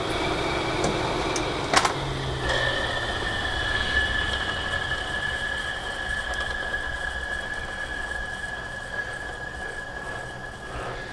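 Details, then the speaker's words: Audi TT Mk1 (8N): radiator cooling fans keep running with the key out of the ignition, steady whirring with fixed high tone; owner suspects a damaged regulator; cooling fan running after ignition off. "see those fans they shouldn't be running the key is out of the ignition and yet the fans are still running"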